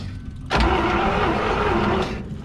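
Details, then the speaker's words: Buick nailhead engine in a parade train, sat twenty years; even cranking about 1.5 seconds without firing; compression present but no suction at the carburetor, valves possibly not closing (suspected). "I don't think I got all my valves closing but we had compression but there ain't no suction on top of that thing at all"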